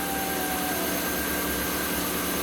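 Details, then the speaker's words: MK1 Audi TT at idle after alternator removal and regulator repair, charging at about 14 V, dropping to 13.5 V with heated seats and headlights on: steady, even idle with a faint constant whine, no hunting; normal idle under electrical load. "okay probably hear the engines idling a lot better now that heat seat on"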